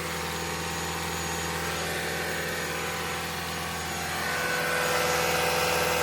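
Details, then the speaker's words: 2021 Toyota Camry Hybrid during coolant bleed after engine and inverter coolant change at 100,000-mile service: quiet smooth engine hum under whirring cooling fan on its second cycle, no knocks; running normally. "Okay, the fan just kicked on for the second time. Wait for that to turn off."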